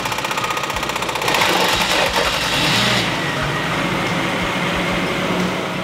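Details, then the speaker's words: Cold start of a V12 that has sat unstarted a long time; slow, labored cranking about a second before it catches and flares unevenly; owner thinks the battery is very dead. "typical startup sounds a little different. We're gonna hear it on the next one, but just as I think the battery's just so dead on this car and it's been sitting forever, but we're gonna get it right, guys."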